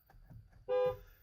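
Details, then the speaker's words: Horn on a non-starting Dodge Caravan, about 199,000 miles, remotes dead: one short, clear, strong steady horn note at full volume; healthy horn, though cranking then gives only a click, starter suspected. "oh that sounds like a nice healthy horn"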